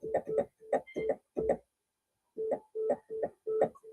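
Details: Yamaha CS-60 synthesizer during electrolytic capacitor replacement and voice (M) board adjustment, VR15 trimmed: crisp short plucked notes with clean quick onsets and even decay; filter envelope attack responding normally.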